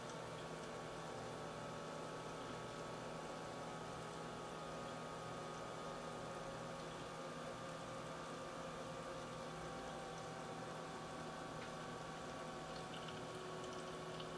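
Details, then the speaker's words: H220 liquid cooler pump in a 600T case, running alone with no fans and the side panel off: at full max speed of about 2990 rpm it gives a quiet, steady whir with a faint constant tone and drifting higher notes, and no grinding or rattle. "currently the pump is running at 2400 rpm you know honestly sounds like a fan to me and that is the pump by itself running at full max speed it's about 3000 rpm"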